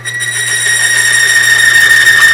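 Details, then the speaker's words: Grease on a lubricity test machine, load raised to about 35–45 lb on a torque wrench: piercing, steady high squeal rising with load, metal chattering on metal as the grease fails, leading to galling and binding. "So at that point, now I've had chatter, I'm getting galling, and it actually bound up at that 40-45 pounds of pressure."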